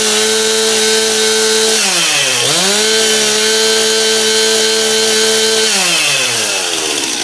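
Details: Stihl MS271 chainsaw test-run after clutch drum replacement, old drum badly worn and grooved; crisp high-pitched two-stroke howl holds steady, dips, revs back cleanly without bogging; ear-piercingly loud, running properly.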